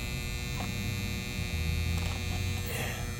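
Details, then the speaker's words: 2012 Carrier 3-ton heat pump condenser not cooling: steady low electrical hum and buzz with no motor spinning up, unit not starting; technician suspects the contactor and a bad 45/5 capacitor, to be tested. "all right I do hear the buzzing H I do hear the buzzing yeah let's see working on a three T got the panel off I mean that thing is just buzzing"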